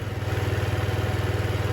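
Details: 2007 Diamo Retro 50 GY6 single-cylinder scooter with a new intake tube, running after a starting-fluid start with fuel flowing. Even, fast putter of about sixteen beats a second with no knocks. Normal idle.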